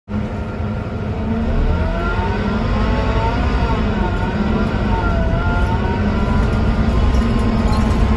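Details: 2009 Scania K230UB bus, Scania DC9-16-230 diesel, ZF Ecomat 4 6HP504C gearbox, recorded on board in service; steady diesel drone under load with thin wavering whine on top, abnormal engine sound of unclear cause.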